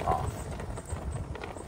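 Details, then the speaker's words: 23-year-old Club Car DS golf cart, pedal worked on and off: dull low thumps in irregular bursts, a clunk or click each time drive engages, with shaking; cause unknown, motor, transaxle or spline suspected. "so makes that click every time you engage it"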